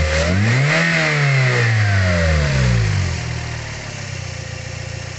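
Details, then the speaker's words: Toyota Vios engine revved to about 3000 rpm and back to a calm idle to check the crankshaft main and rod bearings: no knocking or rough note, bottom end judged healthy; normal revving, no bearing knock. "Hai kalau tegas tidak ada bunyi knocking atau bunyi kasar kakak-kakak itu ya itu berarti kondisi metal jalan putar duduk itu paint seekor itu kondisinya sehat"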